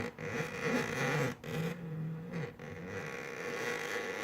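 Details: 3D printer belt drive: a rough, zipper-like scraping and clicking over a steady motor tone. The belt slips over an idler whose bearing cannot turn because there are no washers between the parts.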